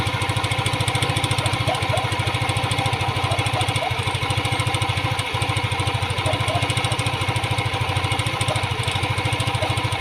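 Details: Yamaha Aerox 155 scooter, hot engine, before repair: a fast, even metallic clatter ("tunog jolen") that appears only when the engine is hot. A loose, worn rocker arm roller in the valve train was found.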